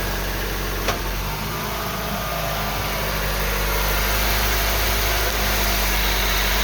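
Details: 2012 Honda Civic EX 1.8L automatic idling in reverse: a steady low drone with a faint, fairly regular rattle of three to four beats a second, plus vibration. The owner wonders whether the serpentine belt is the cause. Cause suspected, not confirmed.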